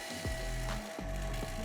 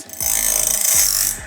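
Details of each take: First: LOGOSOL Grindlux automatic band saw blade sharpener. Steady feeder clicking, then a thin light grinding hiss as the disc touches only the gullet, not the tooth face: feeder set too high and needs lowering. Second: Logosol Grindlux automatic bandsaw blade sharpener with the feeding arm adjusted correctly: about a second of even, hissing grind as the disc touches both the tooth face and the gullet. A correct feed setting.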